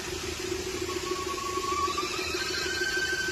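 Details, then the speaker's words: Hyundai idling with random/multiple misfire on cylinders two and four despite new ignition coil and plugs: faint whistling hiss over a steady hum from air leaking at the intake manifold gasket. "सुन रहे हैं शायद आप हवा leak कर रहा है। गाड़ी बंद हो जाना चाहिए। गाड़ी बंद नहीं हो रही है। मेनीफोल्ड से हवा लीक कर रहा है।"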